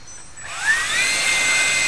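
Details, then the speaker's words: EDF (electric ducted fan) after balancing, run hand-held; whine climbs then holds a clean steady high pitch, same in hand or on table; smooth balanced fan running. "you can hear there's no difference between in your hand or on the table that's it sounds great"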